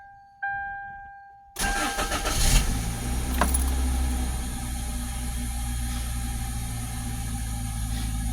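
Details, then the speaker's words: Vehicle after fuel pump replacement, first start: after a few seconds of cranking the engine catches and settles into a steady, quiet, even idle with no misfire, sputter or knock; normal start and idle. "It is running. Let's go back here and see if we can check this out real fast. I do hear it running. Very quiet."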